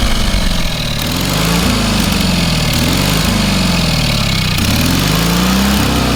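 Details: Small engine on a trailer-mounted cherry picker man lift, half throttle, water found in the oil and corroded intake: steady low running note, only slight speed wander, no knocks or misses; normal running.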